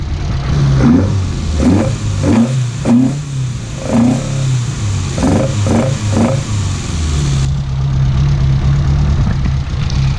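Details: Datsun 1200 ute, newly installed dual Weber DCOE carburetors, not yet adjusted: several sharp throttle blips rising and falling quickly, throaty intake gurgle, steady idle; twin carbs pulling well.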